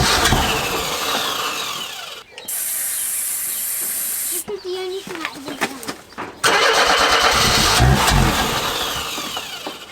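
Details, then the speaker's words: Barn-find Mercedes W123 230E, fuel-injected, first start after long storage: cranking with brief bursts of firing that die at once, catching only on Easy Start spray; timing and compression work, but no fuel is getting through. "Well, that's kind of awesome because it means the timing's working and the compression's working and everything else like that is working. It's just not getting fuel through."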